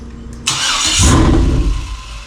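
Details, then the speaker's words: 2003 Yukon 5.3 L LS engine on stand for 1994 C1500 swap, fuel pump primed by jumper: starter whirs, engine catches and roars briefly on all eight then dies; won't stay running, cause not yet found. "that sounded like it's firing on all eight right there [Music] that sounds nasty good it won't stay running"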